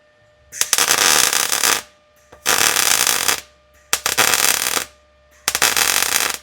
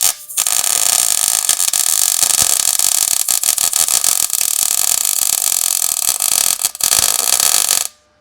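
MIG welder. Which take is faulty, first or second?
second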